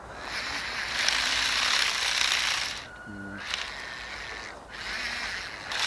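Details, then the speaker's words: RC Spiderbot with a brushed motor on a 20A ESC, just after a replacement gear was fitted: fast, irregular high-pitched ratcheting clicks about four a second as a gear strips and slips. "Yeah, I think that's it. I think we've already killed that new gear. Oh dear."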